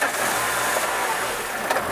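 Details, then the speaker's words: Peugeot Partner TU5 JP4 petrol engine, no-start, running only on fuel sprayed into intake: rough, uneven, no steady idle, dies when spraying stops; fuel supply starvation, fuel pump or fuse suspected, not yet confirmed. "Se a gente alimentar aqui, ela já pega, né? Vou parar de desalimentar, ela já vai morrer já, ó. Tá? Então, tem falta de alimentação de combustível."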